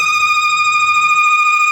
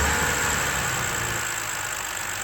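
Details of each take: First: 2011 BMW X3 3.0 L inline-six (N52) at idle right after a valve cover gasket replacement: a loud steady high-pitched squeal from a failed PCV diaphragm in the valve cover's built-in crankcase breather; the fix is replacing the valve cover. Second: 2011 BMW X3 3.0 L N52 inline-six, first start after replacing the valve cover to cure a whistling and screeching noise: a smooth, even idle with a steady low hum and no whistle or screech; the engine runs normally.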